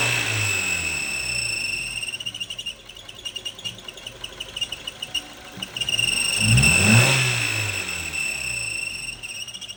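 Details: Ford Focus squeaking and squealing when starting the engine: engine turns over and runs with a shrill steady squeal above it plus rapid squeaky chirps; cause unknown.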